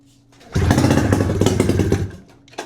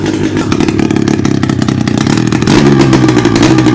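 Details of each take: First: 600cc two-cylinder two-stroke snowmobile engine on a go-kart, long sitting, cracked cylinders repaired, bad fuel, oil reservoir added, pull-started: a loud ragged burst of uneven popping for about 1.5 s before dying, a stumbling first fire. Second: 600cc two-cylinder two-stroke snowmobile engine on a homebuilt sidewinder go-kart, revived after cracked-head repair and barn storage, on very bad brown gas, no exhaust fitted; loud raspy crackle revving and settling, firing steadily without misses; coolant leak puddling under engine; normal two-stroke running.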